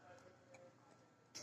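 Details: Toshiba 1 TB hard drive: faint sharp clicks a few tenths of a second apart over a quiet hiss; clicking, cause not yet known.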